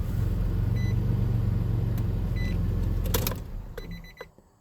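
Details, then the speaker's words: 2004 Nissan Frontier supercharged 3.3 V6, about 49,000 miles, 22 years old: even idle and clean shut-off with no knock after tightening loose torque converter bolts that caused rod-knock-like noise at start and shutdown. "Yeah, that sounds a heck of a lot better. I don't hear that knocking now when I start it and turn it off."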